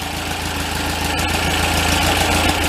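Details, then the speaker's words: Untested 2275cc built air-cooled VW Beetle-style flat-four, stored 8 years, warming up at first runs with carburetors not yet synced: steady, smooth idle with light rhythmic patter, no misses or knocks; normal idle. "he's pretty smooth awesome I going to let it run like that for another minute or two we'll let it heat all the way up"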